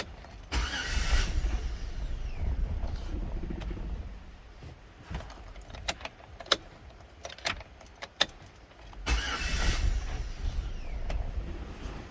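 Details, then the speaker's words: Chevy Tahoe, 161,600 miles, towed in as a no-start: engine barely wants to run, stumbling and surging unevenly right after starting; barely any fuel pressure, fuel pump to be replaced. "Now she barely wants to run. That sounds like a fuel pressure issue."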